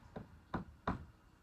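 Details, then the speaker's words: Redding competition bullet seating die on a reloading press: soft dull clonks as the seating stem, lowered with the micrometer, just touches the bullet; clonk less pronounced when it barely touches the ring mark on the bullet tip. "bit more with the micrometer, down a bit more there, and that clonk isn't as pronounced, so I know it's just touching that mark on the bullet."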